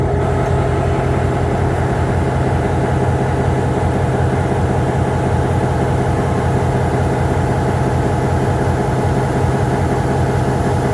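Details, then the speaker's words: MP15 switcher locomotive on DO-1 that started right up, unlike the second unit that had a hard cold start on weak batteries; deep, steady diesel idle, even low throb, no misses or knocks, healthy. "This one started right up."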